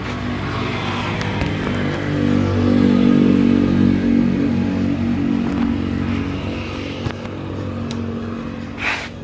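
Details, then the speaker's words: Kawasaki Ninja RR150 two-stroke, heavy pull, stuttering, throttle hanging and slow to drop revs: ragged revs that stumble and fall back slowly; carbon-fouled Super KIPS power valve sticking partway open. "nah jadi kendala motor ini tarikannya berat dan motor itu brebet suaranya juga gak enak ya terus super kip-nya juga macet di RPM sekian turunnya itu lambat ya terus gasnya juga nahan"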